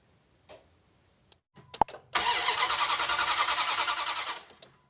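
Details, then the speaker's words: 1998 Dodge Durango 5.2L V8 cranks evenly for about two seconds but never fires. Inline spark testers show no spark at the plugs, so the ignition coil is checked next. "So as you can see using the inline spark tester and the liio spark tester we are not getting any spark to the spark plugs."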